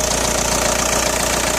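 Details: Audi A4 B6 1.9 TDI AWX diesel at idle: steady fast metallic clatter harsher than normal diesel tick, appeared after replacing injector o-rings and copper washers; cold-start smoke gone but power seems lost; cause unknown.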